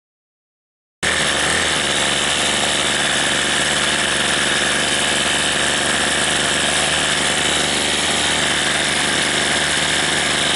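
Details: Troy-Bilt TB32 EC string trimmer after carburetor replacement, hi and lo screws set a quarter turn out, warmed up with choke opened: a steady high-pitched two-stroke buzz holding even revs with no surging or bogging, running cleanly.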